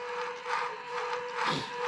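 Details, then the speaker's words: Newly built 1998–2000 Lexus LS400 1UZ-FE VVT-i engine on a test setup, ignition on and engine not yet started: light electric buzz swelling and fading as the drive-by-wire throttle motor moves up and down, a normal key-on self-test. "there you go you can actually hear the motor moving up and down so that little buzzing sound you hear that's the drive-by wire motor"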